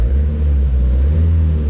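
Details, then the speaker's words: 1986 Suzuki Samurai turbo diesel, long neglected and running rough since engine rebuild; after a new fuel filter, idles with a deep, steady, even rumble, no knocks or misses, smoke clearing; normal diesel idle. "uh yeah it's running even the smoke is is going away and it's turning black where it should be you know it looks good"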